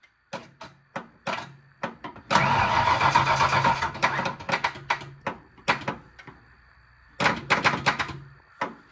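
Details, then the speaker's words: Foxbody Mustang 302 with B303 cam and T5, sitting since about 2021: the starter cranks steadily in bursts but it never fires. The fuel pump runs but shows no fuel pressure, likely out of gas. "You know what? I'm not showing any fuel pressure. This thing may be out of gas."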